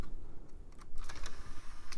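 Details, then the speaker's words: iMac G4 CD drive tray after fitting a replacement belt of the correct diameter but slightly thinner: small plastic clicks and short whirs as the tray opens and closes. Normal tray operation. "yep see if it closes all right I think that'll work"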